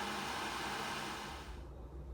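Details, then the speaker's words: Worcester Ri boiler with blue flashing light, fan purge rushes steadily then winds down with one click and no burner roar; ignition fails, locks out on flame failure. "so it did go to flame failure"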